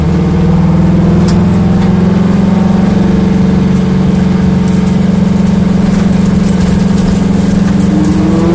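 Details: Corvette V8 idling with an uneven, stumbling beat instead of a smooth burble; a skipping pulse points to a misfire.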